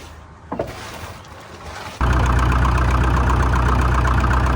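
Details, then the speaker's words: 1947 International Harvester TD-9 gas-start diesel crawler, American Bosch injection, running after magneto rebuild; steady even low chug about four beats a second, clean stack, solid healthy idle. "Clean stack even. Running good."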